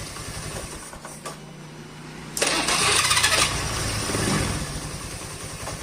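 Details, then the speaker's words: Motorcycle after starter repair (part oiled, not replaced) with the faulty brake switch bypassed: brief starter whir, then the engine catches cleanly and settles into an even idle; normal electric start. "Oke, sudah terpasang, kita langsung tes aja. Bisa ya guys, bisa di starter lagi."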